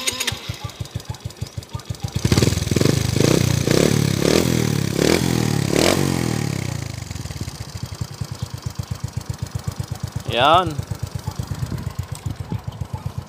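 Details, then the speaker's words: 2017 Smash 115 after overhaul, where both connecting rod bearings were replaced and the crankshaft aligned: starts, blips, then settles into an even, steady idle thump with no knocking from inside the engine; normal idle. "y smot na ulit wala na yung maingay kanina mga ka br okay na wala na yung kumakalampag dito sa loob ng makina"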